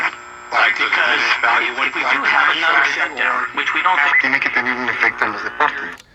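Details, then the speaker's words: Philco 48-1256 six-tube AM radio chassis after recap and cleaning, while tuning: several stations bleed over one another with chatter and squeal, only strongest stations received; owner suspects a burnt-looking component, not confirmed; poor selectivity. "Um, and this is got stations running over the top of each other. It won't pick up anything but the very strongest stations."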